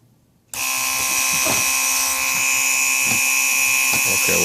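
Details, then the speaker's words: Early-style Mercedes 500SL R129 central-locking pump on the bench with its replacement motor, run to show it works in both directions: a steady high electric whine starts abruptly and holds even pitch; the pump runs normally. "this is how I can show you that the pump works both directions backwards and forward so because central locking I can close it down by activating it"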